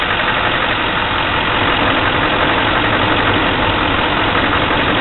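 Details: 2004 6.6 diesel with running trouble: idling with an uneven, lumpy clatter, about three pulses a second that don't hold steady; rough idle, cause not evident.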